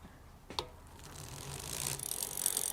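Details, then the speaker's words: Islabikes Beinn 20 rear wheel after replacing a noisy, worn freehub by building a new wheel with new hub and bearings: soft, fast, even pawl ticking while coasting, quiet with no grinding or rumble; normal freewheel coasting. "i am going to proudly demonstrate to you the lovely silence of the new bearings in the new hub at least i hope i am"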